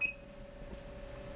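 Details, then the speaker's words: AFERIY P280 power station, 5521 barrel port rated 3 A, stepped up from 5 A (66 W) and 6 A (about 80 W) to 7 A. One short high beep, then a faint hum, as the port overloads and trips. "Okay, so 7 amps did overload the 5521 port."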